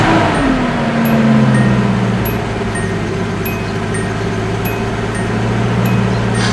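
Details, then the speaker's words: Nissan 280ZX, warm day, just started after replacing the oil breather hose and air duct hoses; settles from higher fast idle into a steady, even low hum with no misses or ticks; sounds quite a bit better, normal idle. "Sounds actually quite a bit better."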